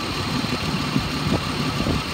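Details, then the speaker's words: 2010 Ford Explorer XLT 4x4, shop notes say it overheated and was taken out of service: uneven idle with irregular stumbles and thumps, steady bad misfire since first start, no rattle or knock; check engine light on, won't rev past 3,000 rpm, apparent bad alternator. "this one has a steady misfire shop notes say that it overheated they took it out of service we started it up it's had this bad misfire since the minute we started it"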